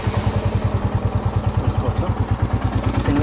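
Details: Royal Enfield Classic 350 Reborn BS6 after cleaning water out of the fuel tank to fix a no-start: even, steady thump at about eight beats a second with no misses or knocks; normal idle.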